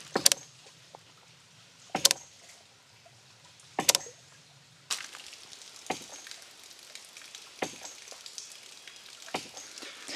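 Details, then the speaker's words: Land To House small ram pump with a waterlogged pressure tank, heard at the drive pipe: sharp cracking bangs roughly every two seconds slapping up the pipe; hard hits cut efficiency and delivery and can damage the pump; water hammer. "you can hear the difference how it was just hitting hard and kind of just cracking as it goes up this pipe here"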